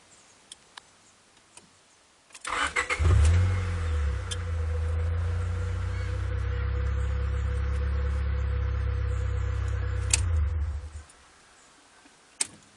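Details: Honda Prelude 5th generation 2.0, which sometimes won't start: starter churns steadily about eight seconds at roughly four beats per second, engine never catches; cranks without starting, cause unknown.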